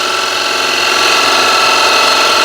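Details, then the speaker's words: Woodturning lathe, gouge freshly resharpened after the dull one pulled up the end grain: steady, even singing tone with a smooth shaving hiss, no chatter or catches; riding the bevel it cuts cleanly, leaving a pristine, shiny surface. "I don't need to force it and the the shine here is already appearing and I'm riding the bevel and as the tool is sharp I have more control so I don't burst through and now this surface is pristine"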